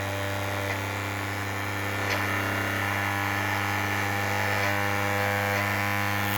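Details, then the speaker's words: 3D-printed maglev rotor after adding dry lube to the shaft end and pulling the coil back, spinning around 6000–7000 RPM: steady even hum at constant pitch, no rubbing or scraping; normal running. "yeah that's a beast man that is a beast I've got it going good now"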